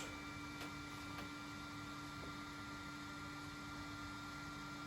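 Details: Flashforge Adventurer 3 3D printer, four years and about 1300 hours of use, homing during Z-axis calibration: soft, steady fan hum and a faint high whine as the bed moves, hardly any stepper growl. Normal quiet stepper operation.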